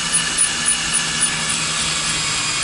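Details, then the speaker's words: Drilling a steel hole on a 2019 Ford F-250 Super Duty to fit a Torklift StableLoad, bit lubricated with motor oil: even, high-pitched grinding hiss with no chirping left as more pressure is applied; the bit is cutting cleanly. "And here the chirping kind of went away there. I'll apply a little bit more pressure again."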